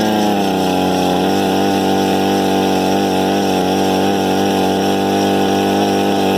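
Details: Harbor Freight 67414 ice auger after a bolt-on carburetor replacement, started with a drill, small two-stroke settling into a smooth, even high-pitched buzz with steady speed and no misses or surging; it runs healthy.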